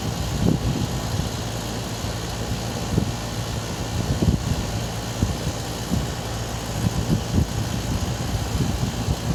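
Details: Air conditioning weird noise: steady idle hum broken by irregular knocks and bumps every second or two; cause not pinned down.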